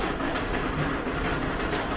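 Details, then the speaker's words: Older Whirlpool dryer (possibly series 7): loud continuous low rumble with a rapid rolling, clattering rhythm as the drum turns, most likely worn rear drum support rollers. "so that's a pretty bad rumbling noise we're gonna unplug it and most likely it's the support rollers in the back that are having trouble"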